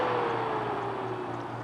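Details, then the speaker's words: Adventuridge (Aldi) Peltier iceless electric cooler on 120 V set to Eco: soft fan hum whose pitch sinks as the fan slows way down to quieter, lower-cooling operation; normal. "it quiets way down and the fan cools uh slows way down as well"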